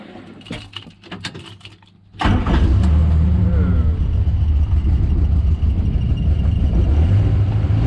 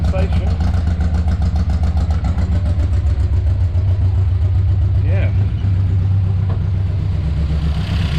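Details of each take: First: Morris Minor after draining stale varnish-smelling fuel and adding fresh fuel: engine fires into an uneven, lumpy beat near 220 per minute, running rough; owner suspects timing. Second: Morris Minor after draining varnish-smelling stale fuel and refilling fresh, choke all the way in: steady, even low hum without misses or stumbles as cleaner fuel reaches it, rough running earlier; normal idle.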